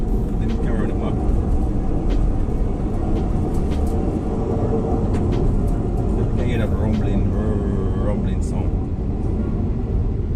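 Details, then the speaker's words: Van rear wheel heard while driving, audible from inside: steady low droning rumble under road noise; worn rear wheel bearing, another fault also suspected. "It's from the wheel."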